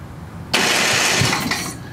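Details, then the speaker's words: Craftsman 27-inch snowblower, Briggs & Stratton 8hp OHV engine said to be dead, possible water in the oil, low compression: one sharp burst of firing on prime that fades within a second with no idle. Fires on prime, then dies. "oh yeah you got something that went off right away"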